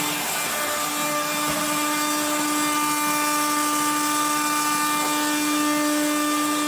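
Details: 1970s blue Regina Electrikbroom 3-speed vacuum vacuuming a floor: a steady high motor whine at constant speed with a rough, gritty edge, from motor bearings gone dry after someone washed the motor and fan.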